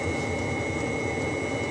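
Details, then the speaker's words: Webasto heater in a bus camper conversion, heard near its exhaust, with the thermostat set to 26°C and the bus at 22°C: a steady hum with a constant high whine from its small pump, even and without rattles. Running normally. "Donc voilà, le Webasto, il tourne vraiment bien celui-là. Franchement, c'est nickel. Vous entendez la petite pompe?"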